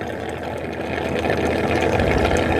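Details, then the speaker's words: Eufy robot vacuum-mop base station after cleaning, starting an about three-minute process: water gurgling and flowing steadily over a low pump hum, growing slightly louder; dirty water draining normally. "There's the dirty water coming out. Now it's going to go through a whole process. Takes about 3 minutes."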